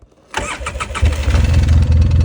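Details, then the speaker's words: Polaris Sportsman 800 quad brought in for a noisy engine and full service, reassembled and started: engine cranks, catches and settles into a lumpy idle with a light, quick tapping on top; tapping persists after service. "definitely hear that tapping sound I was talking [Music] about [Music]"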